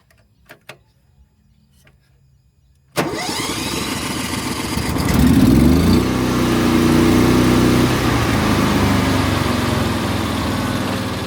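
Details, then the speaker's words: Hobart Champion Elite 225 engine welder after idle solenoid fix: a few quiet clicks, then the engine fires and climbs quickly to a steady high idle. Before, it took up to 10 seconds to reach high idle when striking an arc. "All right. Oh my goodness. I honestly didn't believe it would be that simple. Wow. I've been so frustrated with this for months. And it was a stupid solenoid."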